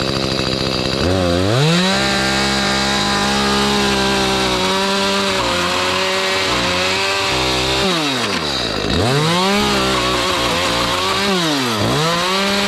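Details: Echo CS310 chainsaw after carburettor cleaning and tune-up, which fixed no-start, no-idle and no-cut, cutting pallet wood without choke: crisp two-stroke howl that bogs slightly in the cut then recovers; running healthy.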